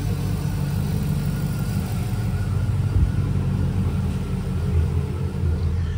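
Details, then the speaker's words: 2006 Chevrolet Silverado with used 5.3L V8 just installed, first start before transmission hookup, battery possibly low; deep even rumble at steady idle, no ticks, knocks or misses, oil pressure and voltage good: normal idle. "let's start it up so everybody can hear it the battery might be a little low cuz it's yeah seems to be good I don't hear any unusual noises"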